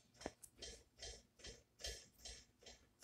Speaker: right now i saw a ceiling fan up there right see that it's just making a clicking sound here